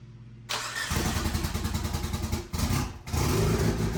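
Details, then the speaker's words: EVO 8 first start after a rebuild with a repaired 20G turbo, new downpipe, EVO 4/5/6 radiator and intercooler piping, with the crank position sensor plugged back in: a brief crank, then it fires with sharp blips and settles into a steady, even run. A healthy first start. "And this is it. This is literally the first start. This is actually the first start of the EVO."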